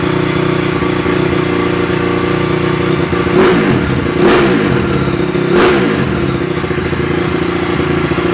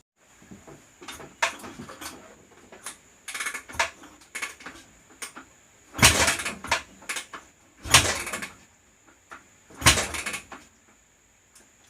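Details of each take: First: 2004 Honda CRF250R, hard starting, after valve adjustment back into spec, leakdown about 6%: crisp single-cylinder idle with three throttle blips rising and settling cleanly, no misses or rattle; normal running. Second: 2004 Honda CRF250R before valve adjustment: repeated kick strokes every two seconds or so, each a short mechanical rush, and the engine never fires; hard starting from tight intake valves losing compression (about 84% leak-down through the intake).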